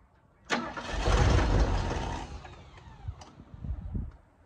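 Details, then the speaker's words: 1972 Ford Ranchero being revived, in cold weather after carburetor tweaks: starter bursts, engine catches briefly, then sputters and dies with uneven chuffs. Owner suspects an ignition problem in the distributor/points. Cause unconfirmed. "the more I fool this thing the more I'm convinced there's an ignition issue uh it doesn't want to crank"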